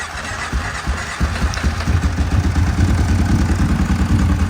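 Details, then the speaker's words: Kawasaki KFX700 ATV twin that earlier cranked without starting; after fixing a short from a shimmed fuse, it catches into an even, lumpy idle a little over three beats a second, firing on both cylinders. Normal running. "that's a lot different right try pulling that plug wire up again yeah that's how it was running earlier bro definitely running on that one"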